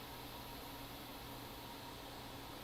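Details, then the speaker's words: 2012 13-inch MacBook Air A1466 during option boot with the DC-in board cable unplugged: steady airy whoosh with faint hum, fan pinned at max with no signal from the heat-pipe sensors on the DC-in board; slow boot. "option boot so the fan is now spinning up on high or max rpm computer seems to be taking a little bit longer to boot"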